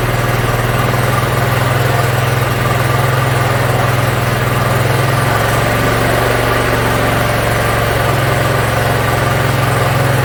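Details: Yard Machines (MTD) 42-inch riding mower, small single-cylinder engine, after carburetor cleaning and freeing a stuck emergency shut-off: steady, even low drone, no misses, surging or knocks; idles smoothly, runs pretty good.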